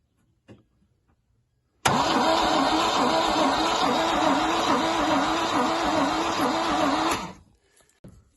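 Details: MGC 3.0 straight-six, garaged about 33 years, carbs rebuilt; cranking on batteries before a compression test, steady quick cranking about 150 beats a minute for five seconds without firing; compression test confirms very low compression.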